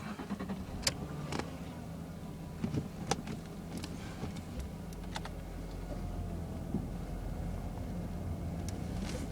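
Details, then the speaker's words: 2001 Jaguar X-Type 2.5 V6 manual petrol, recorder on the floor near the transfer box, after transfer box oil change at 114,474 miles, 60 mph in fifth: smooth low road drone, light rattles, no whine; healthy transfer box. "well no whining noise that's a good sign so I'm rolling along at 60 MPH in fifth gear and it's sounding very smooth"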